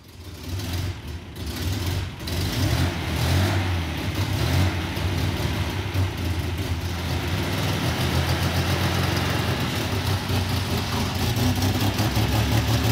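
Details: MGC-GT six-cylinder out of storage, running on a battery charger powered by a portable power station in place of the alternator; steady, fairly even idle with low rumble and mild revving; runs and drives, gas smells old.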